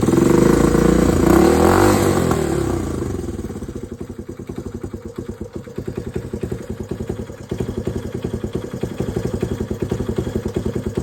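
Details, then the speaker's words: Honda CT Trail 90 after fixing an air leak, found with starting fluid, with a new paper gasket: after a short rev it settles into an even, steady idle with no hunting or popping, running better. "Alright, so I got the paper gasket put in there. and she already runs better."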